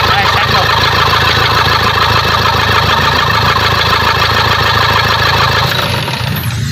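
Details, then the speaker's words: Toyota Fortuner diesel after bleeding air from the fuel system to cure a no-start, restarted: runs smooth and even with steady clatter, no misses or stalling, then winds down; fuel supply now healthy. "Ayan po ah umaandar na yung ano tahimik na at ah maganda na yung Menor"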